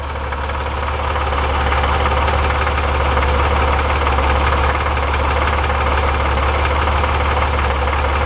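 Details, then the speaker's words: 1961 Chevrolet Corvair Lakewood wagon engine, rebuilt with new rings and valve job after 30 years stored, at hot idle: steady fast metallic rattle about three to four a second under fan roar, gone with slight throttle; loose cam or crank timing gear suspected, low oil pressure also noted. "the gear a Loose Gear will rattle like that and go away under load cuz it's under load"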